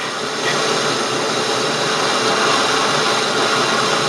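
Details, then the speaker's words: Mill motor running on the underdrive with a steady, rough, gritty whir and screeching from worn motor bearings that need replacing; the motor is very heavy and replacement keeps being put off. "they definitely need to be replaced I've been putting it off and putting it off because the the thing is as heavy as the Titanic and it's not a lot of fun to try to take that motor off the underdrive and mess around with it"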